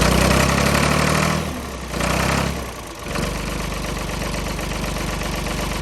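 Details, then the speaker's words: Ford diesel tractor, 40+ years old and long sitting, cold snowy freezing day in Western New York after overnight battery charge: after a rough catch it settles into a steady, even idle knock with no misses; normal diesel idle. "we've had it running for a good 10 or 15 minutes now she seems to be doing well"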